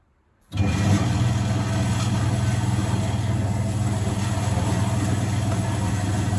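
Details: Vintage Hotpoint 1012 spin dryer with wringing-wet laundry: motor cuts in sharply and settles into a steady, even drone with no scraping, rubbing or knocking. Normal spin cycle.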